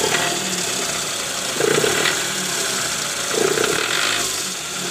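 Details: 2008 Toyota Previa GL 2.4 at 186,000 km: coarse, uneven idle rumble with a loose pulsing rattle, rough "krrrr" when shifted into D or R with AC on. The removed balancer shaft was found loose and worn.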